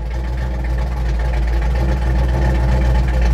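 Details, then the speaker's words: Truck V8 with Holley Sniper EFI, freshly loaded tune file pushed to the ECU while fixing low vacuum and rich mixture, idle expected to settle to about 850 rpm; deep, steady idle with an even low rumble and no misses or knocks. "you know idle should come down to about 8.50 or so"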